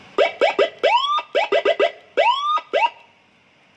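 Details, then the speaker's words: 12 V siren, serviced for a croaking sound by replacing its TDA2005 amplifier IC with a TDA2004: loud rising whoops, about a dozen in three seconds, each sweeping up cleanly; it now sounds normal. "Hasilnya juga sama, suaranya juga seperti itu. Jadi tidak harus sama TDA 2005. Normal nih."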